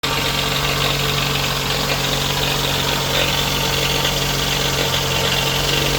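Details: Toyota 2AZ-FE petrol four-cylinder idles steadily with a fast, light metallic rattle riding over a low hum; the rattle's cause is not stated.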